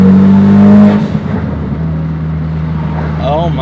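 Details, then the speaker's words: 2017 Ford Focus RS, tuned, Tial 50mm blow-off valve with Stratified Guardian Angel, max boost set to about 25: loud rev cuts off sharply, then rapid fluttering chatter over idle; blow-off valve plus turbo flutter on lift-off. "So you get the sound of the blow-off valve plus some flutter. Definitely can't go wrong with that."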